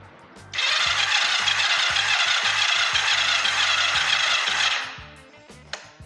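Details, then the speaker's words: Kawasaki GPZ 500 cafe racer that is very hard to start in the mornings, cranked with a gauge fitted. Even, easy cranking with no firing; this cylinder reads under 3 bar, and its valves are suspected to be tight. "Mirad lo que tenemos de compresión. ¿Veis? No llega ni a 3 bares. Este cilindro no tiene compresión."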